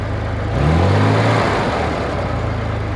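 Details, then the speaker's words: 1965 Corvair 500, engine just reinstalled, warm after a 5–6 mile drive: revs rise, then the pitch sags back slowly and hangs above idle; the throttle won't return to idle, owner suspects a seized pedal hinge or wrong return spring. "I got to return the it it just doesn't want to return to idle so I don't even know if that's the right spring on the on the crossbar back there"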